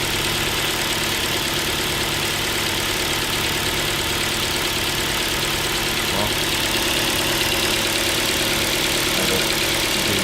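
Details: Ford Focus 2, Duratec HE 2.0 petrol, warming up with a knock that appeared at about 33–34 °C coolant: steady metallic ticking about three a second over the idle, rising with revs. It resembles piston pin knock, but the owner doubts this since it faded with warm-up.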